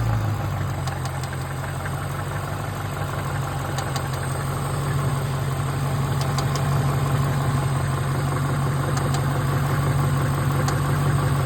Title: What is that ticking noise ?